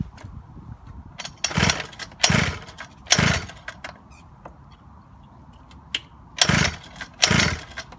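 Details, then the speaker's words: Small engine on a Razor scooter conversion, run outside after the fourth rebuild that day, done because the piston rings were found broken. It now has good compression: sharp two-stroke revs in short bursts, clean between them, firing crisply. Running normally. "this is the fourth time I've rebuilt this today but it's got compression you can even hear it loud and proud so let's get outside get it started"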